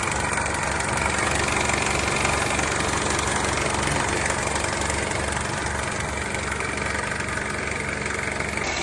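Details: 2003 Honda CR-V with K24 engine idles with a fast metallic rattle over a steady hum. The noise traced to a failed AC compressor clutch; the timing chain tensioner and oil pan gasket were also replaced.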